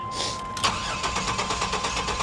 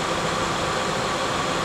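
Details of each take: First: Lincoln Town Car Jack Nicklaus edition, long-stored auction car, on a jump start. Overfilled oil is suspected not to be all oil. It has fuel and good oil pressure, and the starter cranks evenly at about seven pulses a second, but it never catches: crank no start. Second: Rare Lincoln Town Car Jack Nicklaus edition with hail damage, alternator charging: steady even idle, no misses, ticks or knocks; runs smooth and healthy.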